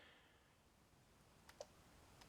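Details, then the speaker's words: 1992 BMW K100RS 16-valve motorcycle, in spring: fuel pump heard, then two faint sharp clicks and no cranking; battery too weak, lights dim, ABS not blinking. "do not touch that button your battery is too weak the lights are dim there's no one home the abs isn't blinking"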